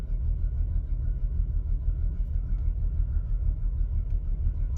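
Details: Ford Falcon BF dedicated LPG, occasional hard start (about 1 in 10), runs rough after firing until driven: low, uneven rumble with irregular lumpy beat about three a second; rough running, cause unknown.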